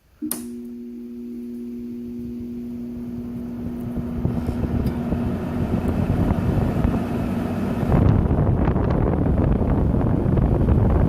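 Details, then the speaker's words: Arctic King WWK05CM71N window air conditioner recorded from inside, switched on at low fan then stepped to high: clear motor hum then steady airflow rush, running evenly; blowing decently good air, fan healthy. "Blowing some pretty decently good air in here."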